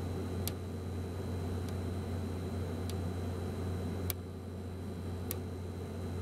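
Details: be quiet! Dark Power 12 1000W PC power supply after 40-60 minutes under heavy load: sharp dry clicks, sometimes single, sometimes in short series with random pauses, over a low hum; the unit was replaced under warranty.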